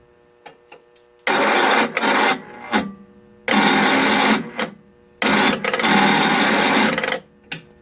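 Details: Snapper 25066S riding mower, 6 HP Tecumseh engine, after replacing a rat-chewed magneto armature: three cranking bursts of a second or two, starter whirring steadily with no catch or firing; cranks but no start.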